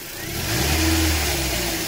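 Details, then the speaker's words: Toyota Corolla E15 with 240,000 km, after replacing a faulty timing chain tensioner that sometimes failed to hold: revs cleanly from idle and settles back with no chain slap or rattle; the noise is gone. "Еще. Никакого звука. Мы чуть-чуть мотор испортили, конечно, но ничего страшного."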